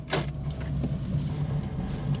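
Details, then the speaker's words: Renault Clio on its first drive, freshly serviced; rhythmic light scraping pulses following wheel rotation over road and engine noise, suspected brake backing plate catching, with worn discs and poor brakes noted. "We've got what sounds like a a back plate there that's catching. Can you hear that? Something's grinding."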